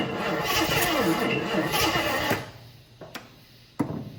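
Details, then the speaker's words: 1980 Jeep Wagoneer, worked on in the shop, valve covers just refitted after an earlier successful start: steady rhythmic cranking, about two beats a second, then cuts out without catching; cranks but won't start. Owner may get a fresh battery and more gas. "I fired it up just before I was going to record it firing up to make sure that it fired up, and it did, and now it doesn't."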